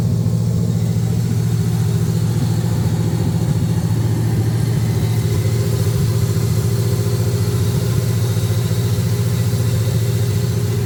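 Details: 1979 Camaro LS-swapped V8 after intake replacement (crack found on old intake), before codes were read: steady idle with uneven, lumpy pulse about three to four times a second; rough running, cause not yet found.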